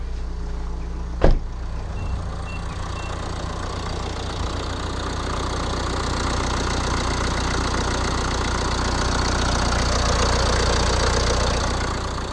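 Steady, even diesel clatter at cold idle with a brief bang early on, no irregular knocks; engine runs smoothly for a cold start.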